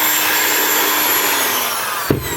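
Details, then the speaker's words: Skil electric drill after repair of a wire preventing the housing from closing and loose screws: a smooth, even high-pitched motor whine, then a click as it eases off; it works perfectly and the noise is gone. "são tá funcionando perfeitamente a máquina não tá mais com aquele barulho"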